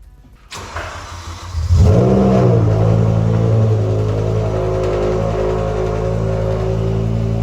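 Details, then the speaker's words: BMW E60 M5/E63 M6 V10 with SMG, started cold in neutral with no pedal for an ISTA SMG adaption relearn: starter whirr, sharp rev flare, then a high, even cold idle with no knocks or misses. Normal cold start. "And even though this is a DIY, let's get a little V10 cold start."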